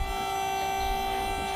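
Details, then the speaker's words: Ford Fairlane with an Astra electric power steering pump, first run after install. A steady, loud, even whine holding one pitch at full speed. Normal running for this pump. "Yeah, that's what they do. There it is, that's at peak. That's how it runs, I told you."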